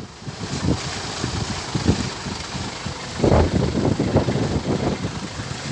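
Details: Toyota Hilux 1KD D4D diesel that had hard starting and died in the middle of the road: through wind buffeting, it settles into an even, steady idle with no stumbling, running properly again.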